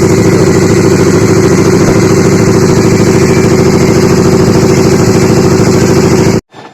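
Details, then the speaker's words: Honda CBR150 at idle, engine ran out of oil earlier and still noisy after oil change: steady idle with a faint, even clack from the middle of the engine about three a second. "Dengarkan ya, ada suara klak di bagian tengah. Ini suaranya halus ya."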